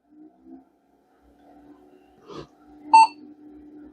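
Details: Vintage e-waste PC with ATX power supply, first power-on after unknown years unused: quiet fan hum, then one short clean mid-pitched beep, a normal single POST beep; board passed self-test and booted first try.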